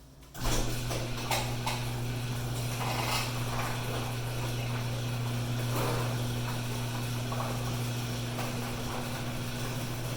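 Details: Garage door opener starts and runs with a steady low motor hum and only faint scattered clicks after lubrication; before, the coastal Florida door sounded grumpy and noisy.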